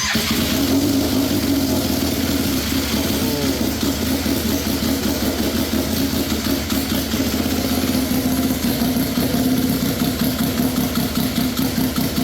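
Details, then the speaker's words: RZR XP with a swapped Yamaha Nytro triple, straight-piped, front engine mount not yet fitted, first start: loud, busy triple settles into a fast, fairly even idle with straight-pipe rasp; a pressure gauge may be reading a little low; normal first start and idle. "I kind of like the sound of it you know it's not super loud being straight piped it sounds awesome"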